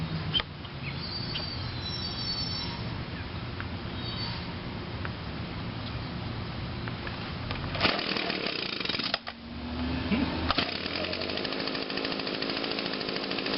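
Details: 2009 Echo PB 251 25.4cc handheld leaf blower, last run possibly Friday, started with choke and about five primes, quiet then fires on the first pull and settles into a steady buzzing run; normal start and run.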